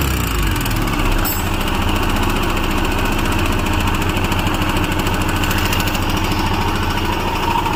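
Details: Royal Enfield Himalayan BS6 single-cylinder at idle: rapid, rattly clatter rides over the thumping beat; abnormal mechanical engine noise, source unclear.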